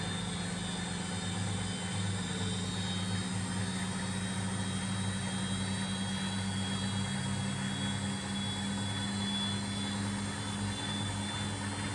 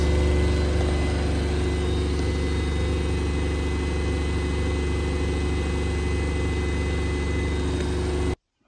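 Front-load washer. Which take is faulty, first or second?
second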